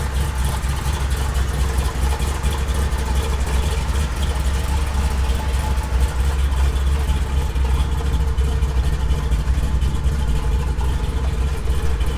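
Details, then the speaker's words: 1972 Chevy K20 on 38s with 6-inch lift, built 510 big-block in the truck about 11 years: deep heavy V8 rumble with lumpy choppy cammed idle, no ticks or knocks; healthy engine. "this thing sounds mean it chops really hard it's a 5-10 big-block it's pretty much a built motor"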